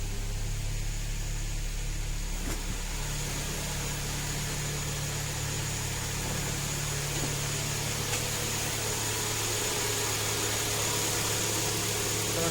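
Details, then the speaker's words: Kia Optima G4KE 2.4 engine at idle right after first start following its third major rebuild (knock appeared after the second): steady, even low hum, no knocks, ticks or extraneous noise; sounds healthy. "а так никаких посторонних звуков и шумов нету"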